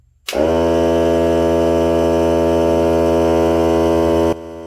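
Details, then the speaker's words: Hart cordless air compressor on its break-in test run: starts abruptly, then holds a steady, fairly quiet buzzing hum with no knocks or rattles. It ran about 40–45 minutes until the battery died. Normal running. "Not bad. You can hear me talking. There's that. So we'll go ahead and let it run for 30 minutes. Or when the battery dies. And it's really not that loud, so."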